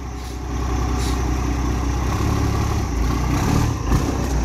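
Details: 12-valve Cummins daily-driver dually with new OEM fuel pump: deep steady diesel rumble with even clatter and no knocks or misses as it pulls away. Normal diesel running.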